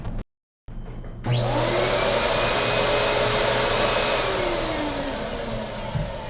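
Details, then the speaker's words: MD Silent Master central vacuum after 6mm sound deadening installed, studio microphone: spin-up into steady roaring whoosh with whine; not much quieter but lower tone, running normally. "i don't think it's really that much quieter i will say the tone changed it's a lower tone"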